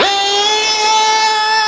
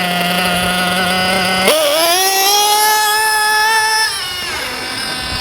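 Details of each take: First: JQ Products THERTR nitro RC engine during break-in, after leaning the too-rich low-end needle: from a stop it snaps up from low revs into a steady high-pitched scream without hesitation or sputter. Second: JQ Products THERTR nitro RC engine during break-in: idle starts high then slows; on acceleration after standing 10 seconds it climbs lazily with much smoke; low-speed needle too rich, to be leaned.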